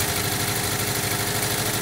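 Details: 1979 Volkswagen Type 2, 2-liter fuel-injected flat-four, idling; light metallic clinking like bottles over steady idle, owner suspects something tapping against the magnesium fan housing, unconfirmed.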